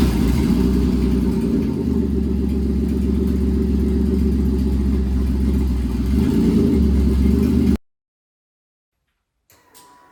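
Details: Pontiac Fiero with swapped GM 3800 engine, first start before coolant fill; runs strong and steady with smooth revving for about eight seconds, then shuts off cleanly. Normal running.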